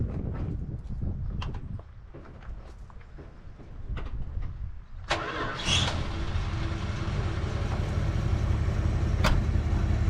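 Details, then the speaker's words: Barn-find 1970 Dodge D-100 V8 with swapped carburetor and cleaned tank, started on a jump box: short crank, then catches and settles into a steady, even idle with no misses or knocks. "it is warm gang as you'll see I've got my digital thermometer out here I like to make sure that it's running on all eight I mean by ear you can tell"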